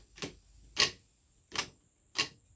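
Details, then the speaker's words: Singer/Studio/Silver Reed SK150 knitting machine stitch dial being reassembled: four crisp clicks about two-thirds second apart as the dial seats past the bottom spring into its detents; normal. "you get it past the top spring but it's not into its set on the bottom spring now you can hear it click"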